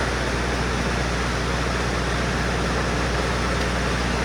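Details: FMC M10000 air conditioner started and run with the doors opened and dampers set: steady, even rush of fan and compressor, no knocks, surges or squeals. Unit starts and runs smoothly, normal running.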